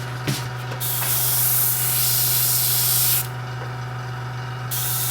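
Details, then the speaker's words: Model airbrush run from a compressor at about 30 psi: steady sharp hiss of air that starts and stops with the trigger, but no paint comes out; the shop later sprayed paint through it fine on their compressor. Sprays air but no paint. "i can hear it there's more pressure there no pain no pain coming out"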